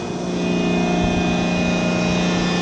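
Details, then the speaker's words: CompAir Hydrovane 707 rotary screw compressor, 460 V 3-phase, just over 28,000 hours, tank open blowing to atmosphere through hose: steady even drone with rushing air, no knocks; running normally while building pressure. "see it building pressure from the top of the screw. You hear the air."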